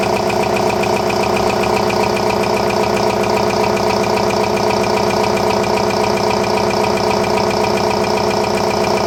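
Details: RCA SJT 400 CED videodisc player spinning a stereo disc on side two: loud steady mechanical drone with a regular rubbing pulse about two and a half times a second; turntable riding low, scraping the ring, no video plays.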